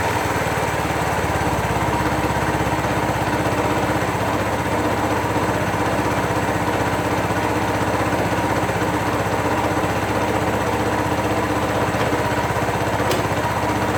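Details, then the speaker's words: 2001 Suzuki GZ250 single idling while warming, choke backed down, lean-running bike; sharp puffing tick on every exhaust pulse about four a second, exhaust leak persisting after gasket replacement, still to be investigated. "oh and you'll you'll hear an exhaust leak that I'm hoping to take care of today as well and I changed the gasket but that didn't seem to stop it so I need to investigate that but you you might hear it"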